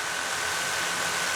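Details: DJI Mavic Air 2 idling on the metal table with the original DJI stock props fitted for comparison. An even, high-pitched whir holds one steady note without wobble or beating, and the drone sits solid, not moving. Normal idle.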